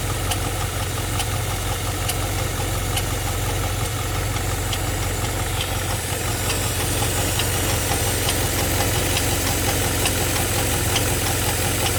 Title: G8 ticking noise